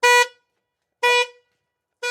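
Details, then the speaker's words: Camaro with a flat battery, powered by a Novsight 6000A jump starter. Power returning with the door open sets off the anti-theft alarm: three sharp horn blasts about a second apart. "So obviously it instantly grabs power to the Camaro. As you can see, it started freaking out since I already had the door open, but now my fob works, and we're gonna try to turn on this Camaro."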